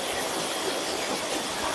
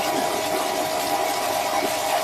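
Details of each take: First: Surya Guna modified jet water pump, 800 W, after its outlet was filled and the elbow fitted: steady, even water rush over a constant motor drone with no knocks or surging. Full 1-inch spray, running normally. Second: Surya Guna modified jet water pump on a 2-inch suction and outlet, primed by filling the outlet pipe: loud hissing water rush over a motor drone with a wavering tone. The pump still has a problem and is switched off.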